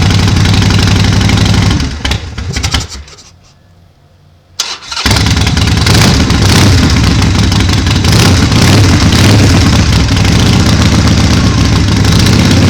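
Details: Cold start after a long winter on a weak battery: runs, drops out, catches on the starter and settles to a steady even idle at about four beats a second; normal cold start.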